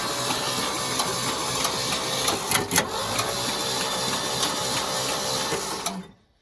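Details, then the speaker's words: 1971 Ford F600 that has sat since 1992, cranked on the starter through a bypassed solenoid with the plugs out, ATF spraying from the plug holes: it spins well, with a rough clunk about three to four times a second, seemingly from the front; cause unknown. "kind of a pain to keep them on there sometimes but uh she's Wheeling over pretty good I don't know what that clunking sound is"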